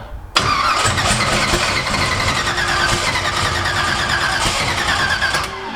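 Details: Twin-turbo Ford Cortina with Fusion engine, first start after multi-point fuel injection install, no throttle cable fitted: engine catches and runs raggedly with uneven firing and fluttery hiss, stumbling rather than idling cleanly; cause unconfirmed.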